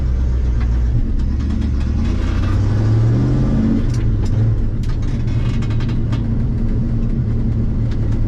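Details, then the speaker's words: 1974 Ford F100 4x4 with 390 FE big-block V8, second gear, light throttle just into the four-barrel: steady low drone with uneven, stumbling pull; breaking up under load, owner suspects the carburetor. "roll into it second gear maybe get in four barrel just a little bit see what what it does I think it's still breaking up some that may be car breaker"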